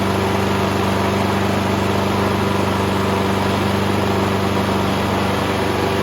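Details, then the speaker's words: Subaru EA175V 21-inch self-propelled push mower, after carburetor issues, on the bench on fresh fuel with a new fuel filter, before its oil change: steady, even idle with a smooth pulse and no misses or knocks; running healthy. "Like a Subaru Swiss watch. Excellent."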